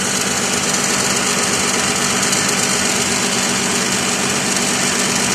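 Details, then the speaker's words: 2006 Lexus ES330 3.3 3MZ-FE V6 at idle; a harsh metal-on-metal rasp that was traced to the alternator returned after belt work, caused by a wrong-size upper bracket bolt to the engine torque mount left loose. Loose alternator bracket bolt. "I discovered that the upper bracket bolt that linked the alternator to the torque mount of the engine was the wrong size, and as a result wa"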